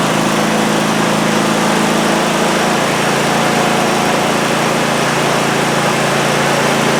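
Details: Cub Cadet ZT1 zero-turn mower that would crank but not start, after repair: small single runs a steady, even drone that drops slightly in pitch as it settles, with no misfire or rattle; running normally.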